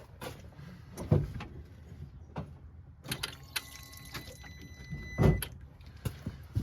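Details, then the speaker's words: Thin electric whine of about 1.5 seconds between clicks as the key is cycled on a crank-no-start 2014 Polaris Ranger 900 with the fuel line disconnected: the pump primes normally and delivers plenty of fuel, so skipped timing is suspected instead. "what I'm going to do I'm just going to cycle the key quickly and see if uh some fuel squirts out of"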